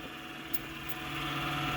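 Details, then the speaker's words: Junk Asus A8V desktop with bloated capacitors on board and video card, failing to boot: steady whirring rush with a faint tone that swells slightly; a loud, worn fan, identified by ear as the power supply fan. "I don't know what fan that actually is that's that bad. It's the video card fan. It's the power supply fan. Sounds like it might actually be the power supply fan. Yeah, that's the power supply fan, so that's no good too."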